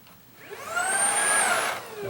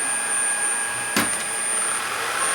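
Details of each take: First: Shark ICZ362H Vertex vacuum after repairing the broken brush roll wire: smooth whir rises, holds about a second, winds down; brush roll comes on and runs normally in a quick test before reassembly. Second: Shark ICZ362H Vertex vacuum, brush roll won't spin: steady motor hum with whirring swell coming and going every couple of seconds plus clicks as the roller briefly starts when the head is moved; cause a broken wire running from the handle.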